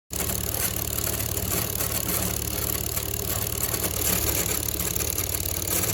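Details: Homemade Lego-style model engine after 24 hours nonstop running, gear mount reinforced to stop limping: fast steady plastic clatter about three beats a second, no skipped strokes; running smoothly.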